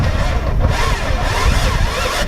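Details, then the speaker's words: Subaru WRX with a new starter just installed: starter drags the engine over slowly and unevenly with no catch; battery low, fuel issue also suspected. "Battery's a little low. Battery's low. Yeah. I have a pack. I'll put the pack on it."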